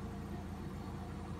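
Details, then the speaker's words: Mitsubishi Lancer Cedia automatic that kept stalling, after the throttle body was refitted: steady, even idle rumble holding stable at 900 rpm with no hunting while the aircon switches on. Normal idle under AC load. "So Ayan stable na siya sa stable na siya sa 900 Ayan tapos aircon natin aircon pitik isa pala yan"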